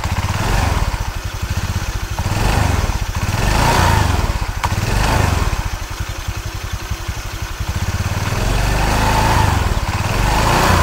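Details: Automatic scooter running with the CVT cover bolts removed: a loose rattle swells on each throttle blip. The centre shaft is off-centre and wobbles, causing the noise.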